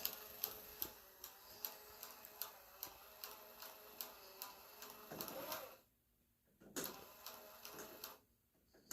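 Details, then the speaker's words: 1967 Chevelle, wiper motor tested after rewiring, switch possibly from another GM car: even regular clicking about two to three times a second as the wiper cycles, then stops; wiper motor runs. "all right well the wiper runs"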